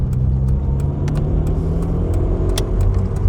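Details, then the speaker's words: £800 Ford Escort Mk6 just collected, joining the M6 motorway at steady speed, heard in the cabin: heavy low exhaust drone with a few sharp clicks over the top; otherwise it drives pretty well. "But it certainly seems to drive pretty well, exhaust noise aside."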